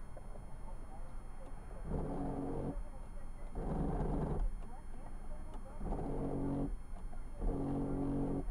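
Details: 2004 Kia Sorento with 178,000 miles, sunroof stuck in the tilt position; switches work and the motor runs. Four bursts of coarse, droning grinding, each about a second long, while operating it: sunroof grinding when operated, won't close, cause unconfirmed.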